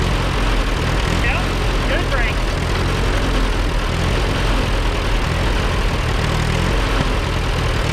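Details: Allis Chalmers WD narrow-front row-crop tractor, rescued from the bush, seized that morning and now running: low, slightly uneven chugging idle; runs but has bugs to work out, tune-up planned.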